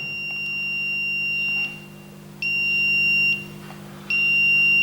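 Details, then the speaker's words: Smart RCBO/MCCB with neutral disconnected: three long high-pitched beeps, each about 1.5 seconds, short gaps over low hum; device in error, missing-neutral warning. "It says that when there is a neutral break in your system, the RCD completely fails. It's gone into error here."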